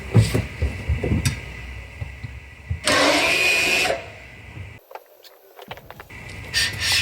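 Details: 2017 Opel Astra K electric parking brake during rear pad and disc replacement, handbrake operated after reassembly: short, steady electric motor whir of about a second, then silence; normal parking brake release.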